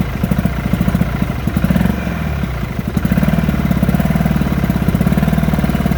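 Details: 1972 Sea King (Chrysler) 35 HP two-stroke outboard, first run in nearly 20 years after flywheel key replacement: popping idle that stumbles and sags before picking up; fuel pump needs rebuild.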